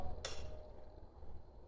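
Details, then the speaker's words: Roof limit switch clicks as the metal target piece engages it when the roof finishes opening, telling the control circuitry to cut motor power; two crisp clicks about 1.5 s apart over faint hum, working normally. "hear that trips that and this tells the circuitry shut the motor off okay then that motor cuts off the power of that motor and your roof is open"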